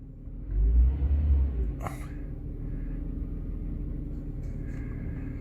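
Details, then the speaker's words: Jaguar XJ6 at its first service in 10 years, heard from outside after the oil change (6 litres, near maximum): a low, even idle swells smoothly with one throttle blip and settles without misfire or knock, with some wind. Normal throttle response. "But yeah, she sounds good on the inside."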